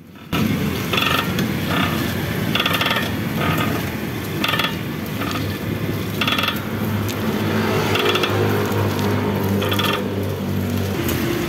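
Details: Toyota Avanza: grinding, creaking noise with repeated sharp clicks and clunks when the steering wheel is turned, steering also stiff; rusted steering rack with worn tie rods.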